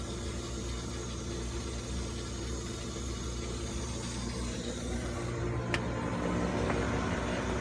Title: My Goodman GMPN080-4 Furnace Blower Motor Fan Making A Rumbling Sound